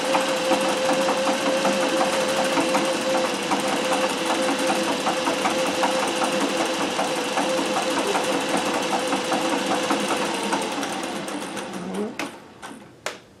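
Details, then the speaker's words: Singer 411G on a treadle with a custom heavy balance wheel, sewing built-in decorative stitches such as the pyramid stitch. Fast, even needle clatter at about 2.5 stitches per second, no catches, then winding down; normal clean sewing. "so let me put on another stitch and you can see it doing some of the other built-in stitches"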